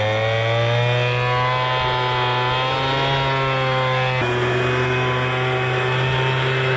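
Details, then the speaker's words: MTD Bolens BL125 two-stroke leaf blower after carburetor repair and adjustment, previously bogging and not starting: steady high-revving buzz at throttle, smooth tone with one clean pitch step and no bogging; running properly. "hear it's running perfect now let's try her out"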